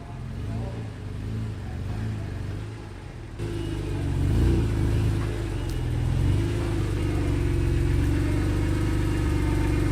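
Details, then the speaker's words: BMW E46 M3 first start after VANOS rebuild and valve adjustment: even idle rising into clean revs and settling back, initially working itself out, then no rattles or stumbles; runs smoothly. "Let's start it up, see how it goes. Working itself out, working itself out."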